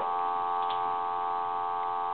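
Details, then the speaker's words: German Post Office telephone after its touch-tone conversion and repair: a steady, clean dial tone from the earpiece, switched from the low to the loud setting, with no crackle, buzz or dropouts; normal at loud volume. "you should hear dial tone now the dial tone should get louder here in a second you should be able to hear that it's a lot louder now"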